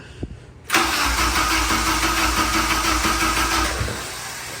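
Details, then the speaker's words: Acura/Honda DC2 Integra with budget K24 swap, first crank with ECU unplugged (not meant to start): steady starter spin with an even strong chug each stroke, good compression, turns over as it should; oil light on from wrong sensor plug. "You know, we definitely want oil pressure. We want to know that we have oil pressure, but that just sounded good. We've got compression. It turned over like it should."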